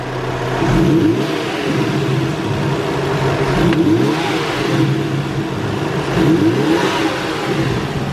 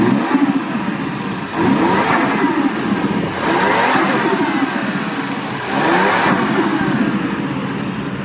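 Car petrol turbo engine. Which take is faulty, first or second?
second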